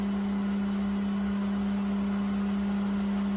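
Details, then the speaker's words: Well pump after replacing the 40/60 psi pressure switch runs with a steady, even motor hum, one constant low tone, no knocks, rattles or surging while pressure rises toward 60 psi cut-out; running normally. "I hear it, yep. So the pressure gauge is rising. So it should keep rising until it hits around 60, and then these contactors on the back will open up."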